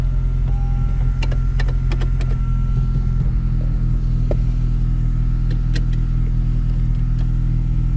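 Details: 9th-gen Honda Civic Si with a Hasport 70A rear motor mount, idling on a hot day; steady, even low rumble with some exhaust drone and no knocks or clunks, healthy.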